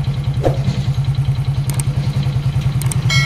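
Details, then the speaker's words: Hero HF Deluxe bike at about 21,000 km, engine idling, checked with a screwdriver held to the block as a stethoscope: steady low metallic tapping about three per second; piston knock from a worn piston. "इस bike में जो sound है वो piston का shoulder तन तन का screw driver के मदद से इंजन का साउंड चेकअप के हैं"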